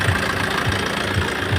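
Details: Tata Safari Storme diesel at steady idle after engine oil, air filter, fuel filter and filters changed and turbo core replaced: soft low thump about twice a second, no whistle or rattle; engine noise problem resolved, runs normally.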